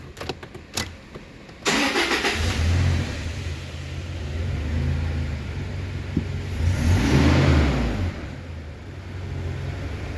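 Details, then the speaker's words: 2014 Toyota Hilux that started then died, all four ignition coil codes set from carbon and water; after fix and code clear, a few clicks, catches at once, steady idle, takes a light rev cleanly; normal start, no codes. "Arrays code yes yes, no trouble code. बिस्मिल्लाहिर्रहमानिर्रहीम। अब अल्हम्दुलिल्लाह हमारी गाड़ी यहाँ स्टार्ट है।"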